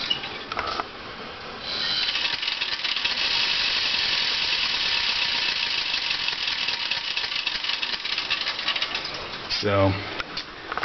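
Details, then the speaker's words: Dodge Daytona EV with used EVTV Green WarP 9-inch motor, idling in neutral, parking brake on: harsh gritty scraping hiss throughout; uneven brush wear, rough commutator; owner suspects brush chunks or balancing clay loose inside, possibly overheated. "I don't know much, but I know that doesn't sound good. Um, ironically, the car still moves under its own power pretty well, but I'm guessing there's chunks of brushes or maybe it threw more uh balancing clay or something flying around in the motor making horrible noises."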